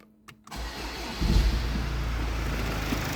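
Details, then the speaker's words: Jaguar F-Pace 2.0 Ingenium 204DTD diesel, 140,500 km, after optimisation and turbo repair: short crank catches at once, settling into a steady even idle with no knock or hunting; healthy start. "On va le démarrer, vous allez voir. Il démarre au quart de tour."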